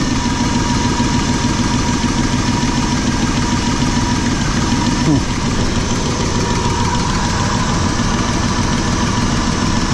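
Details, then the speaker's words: RV petrol V8 idling after new spark plugs and wires. Steady idle with a light, uneven sewing-machine-like clicking up in the valve covers; the owner suspects a rocker or valve train problem rather than crank bearings, not confirmed. "like I got something wrong with rocker or yourself"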